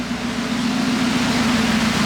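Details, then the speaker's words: Mazda Miata with catalytic converter cut off, water leaks fixed, owner suspects no thermostat fitted: steady idle with loud, raw, hissy exhaust roar throughout, typical of open pipe without converter. "got the cat cut off, so it's loud."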